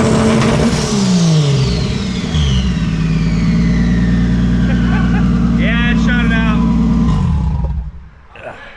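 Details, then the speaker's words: Turbo Lexus IS300 drag car, 15 psi spring, boost reaching about 8 psi: engine revs hard and steady, then a quick fluttering burst of air escapes the moment the throttle snaps shut, boost venting right at lift-off. "Yeah, it's literally shooting out right when you lift. Okay, 15-pound spring, starting to open at 8."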